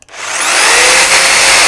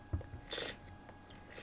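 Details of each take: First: Milwaukee FSPE-110-QX corded jigsaw after repair, with the damaged gear wheel replaced to cure a clacking clunk and vibration. Spins up to a steady high whine and winds down evenly, with no clacking or clunking. Normal running. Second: Milwaukee FSPE-110-QX jigsaw during reassembly after replacing the damaged gear and greasing it, turned by hand. Two short, high-pitched chirps about a third of a second each; owner suspects the worn gears meshing, not confirmed. Squeak on manual rotation.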